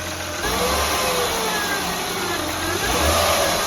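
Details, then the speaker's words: Honda Pilot (2003-2008) petrol engine being revved, heard via stethoscope on the alternator housing: faint high whine rising and falling with engine speed from a failing alternator, later replaced. "Okay, turn it off. Alright, I hear the whining of the alternator whenever she revs it up."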